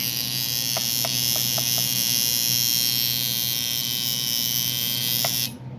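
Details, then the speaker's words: Cheap coil tattoo machine with a nine round shader, tuned to 119 CPS at 48% duty on 7.4 V, then 7 V, after a spring swap; steady high-pitched buzz, even and smooth with no stutter, running well. "look at these numbers guys"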